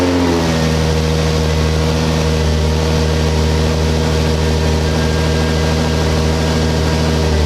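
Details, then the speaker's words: Genesis Coupe under rebuild, radiator support fitted, radiator refilled and airbox taped up: engine catches quickly and settles into a smooth, even idle with a steady low rumble and no knocks or misses; starts and runs good. "you filled up the radiator and the car starts up now and runs good"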